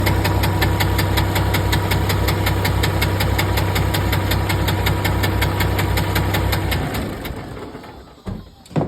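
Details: 2019 PACCAR MX13 diesel at idle: loud, sharp, regular knock about 160 times a minute until shutdown; camshaft suspected, teardown found a broken rocker mechanism in the top end.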